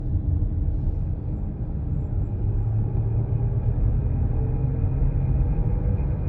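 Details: Brand-new 2025 Chrysler Pacifica Hybrid accelerating: deep steady hum under the vehicle with a faint thin whine above; humming noise under acceleration, cause unknown.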